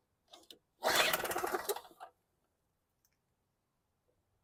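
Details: WildFire WF1200 2-cycle generator (model 8WLDS.0645WM, 50:1 mix) after an aftermarket petcock replacement: one quick rattling pull, just over a second of spinning that dies straight away; turns over but never catches.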